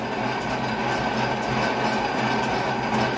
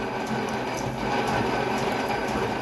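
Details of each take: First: Drill with an oversized, overly long drill bit machining excavator pins: uneven rattling chatter over a steady hum as the bit labours in the cut; sounds bad. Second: Old lathe drilling a mini excavator pin after a better center drill hole: steady, even cutting whir with fine chatter and no grabbing or squeal; the drill no longer twists, cutting smoothly.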